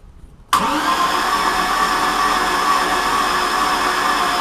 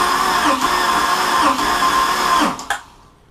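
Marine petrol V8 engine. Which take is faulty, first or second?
first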